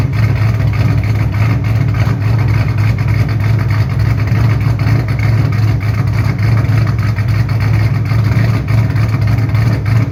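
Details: 2007 Shelby GT500 supercharged V8 with newly installed L&M NSR camshafts, Venomous Tuning tune: deep, choppy, loping idle staying strong and steady, with throttle blips. Normal cammed idle and revs.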